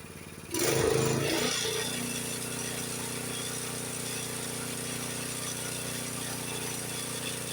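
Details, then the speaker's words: Honda HS724 snowblower engine set to fast throttle, tach reading about 3610–3620 rpm (spec 3600 ±150); picks up quickly then settles into a steady, even drone with no hunting or surging, normal fast throttle. "See, I can bump that up. What was it, 3610, 3620? I can bump that up a little bit more if I want to."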